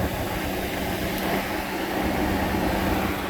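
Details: 1998 Jeep Grand Cherokee 5.9 electric radiator fan, low speed powered by shorting the harness pins with a paper clip (relays click): a steady, even whooshing hum with a faint low drone that never changes; normal low-speed fan operation.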